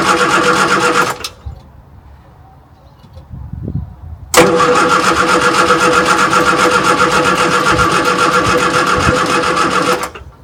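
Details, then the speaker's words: Morris Minor 1000, unstarted for a long while and used only on short journeys: two bursts of steady cranking at about four turns a second that never catch; fuel can be smelled, and gummed-up plugs are suspected. "Well, not yet. So I could smell fuel, so feel that it's getting there. I think the plugs might be a bit gummed up, so I'm just going to pop them out and clean them."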